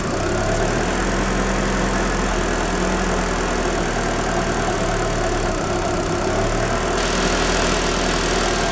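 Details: 1994 Daewoo Espero 2.0 L TBI automatic, cold: uneven, lumpy idle, low beat wavering and stumbling near stalling; fault occurs only cold, timing belt replaced without change, owner suspects ignition/distributor, not confirmed.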